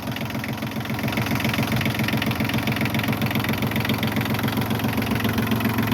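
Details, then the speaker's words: Massey Ferguson 1220 compact tractor diesel, idling after an oil change (about 3.5 quarts): even clatter with regular firing pulses about 220 a minute, no misses or knocks. No oil leaks seen; normal idle. "Sounds better. That sounds better, doesn't it?"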